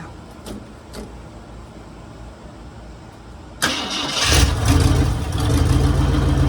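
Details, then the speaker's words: 1966 Mercury Monterey big-block Ford V8 after a fuel leak fix; quiet clicks then it catches and settles to a steady, even deep rumble, no misses; runs really good, water pump still due; normal running. "but as of right now guys it runs runs really good"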